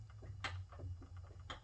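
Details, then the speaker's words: Suzuki SV650 on a stand, front wheel lifted, front end shaken front to back: a few dull knocks heard; steering head bearings worn or loose, with no notchiness felt, so owner thinks they just need retightening. "that knock. And that tells me that the steering head bearings are either worn or just loose."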